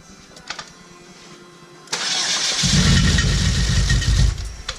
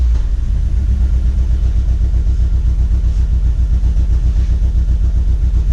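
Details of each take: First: Chevrolet HHR turbo build, first start, low battery: starter cranks at a steady churn about three and a half beats a second but the engine never catches; no fuel in the system yet, key not cycled to prime the pump. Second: Chevrolet HHR build with fresh engine and turbo, after the timing was corrected and the tune installed, started with no codes: steady, even low engine note with a smooth pulse and no misses or knocks; normal running.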